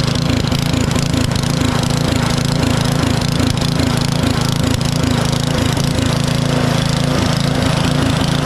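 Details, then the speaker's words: Powersmart 24-inch DB7651 snow blower with an LCT engine, after carburetor replacement fixed the no-start/won't-stay-running problem. Steady, even beat with no misses or surging; still burning off old fuel and smoking. "let it run here for just a I don't know a minute and a half or two minutes it still hasn't burned everything off"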